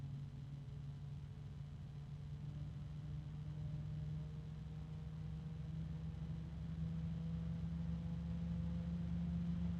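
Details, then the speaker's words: bgears b-Blaster 140 case fan, third unit: steady low hum near 180 Hz, creeping slightly higher over soft airflow, with a very faint rubbing sound; fan harmonic resonance drone. "now if we listen to this all I'm hearing is a very faint rubbing sound harmonic resonance another one"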